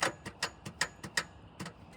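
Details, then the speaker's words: Honda CR-V sunk in a river, cranked after pulling the plugs: rapid sharp clicks about four to five a second with no cranking. The engine is hydrolocked, with water visible in the combustion chamber, and the starter clicks but won't crank. "Shoot. It still won't crank over. Well, this thing is completely hydrolock."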